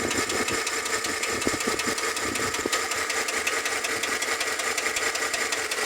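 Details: Chevrolet Tahoe engine at idle: a dry top-end tapping repeats a little over once a second above the engine hum; lifter tick.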